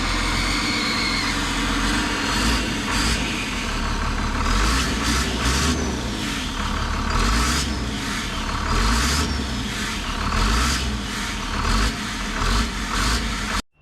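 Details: Big diesel truck engine running: harsh rhythmic puffing chuff over the engine note, pulsing with revs, first thought to be the turbo but found to be an exhaust leak at a blown turbo exhaust gasket.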